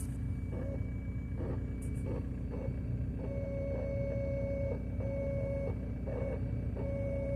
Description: Trying to diagnose a fuel pump problem making strange sounds